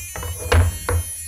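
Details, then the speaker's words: FPV drone on the bench before flight: two short buzzy chirps about half a second apart over faint hum; beeper left switched on. "oh my God the buzzer is on oh my Lord okay here we go"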